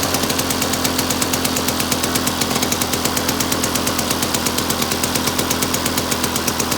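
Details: Victa two-stroke lawn mower rebuilt from two parts mowers, first test run after rebuild with new fuel tap (leaking slightly); steady, even buzz with crisp regular firing, no misses or knocks; started first time, runs cleanly and healthy.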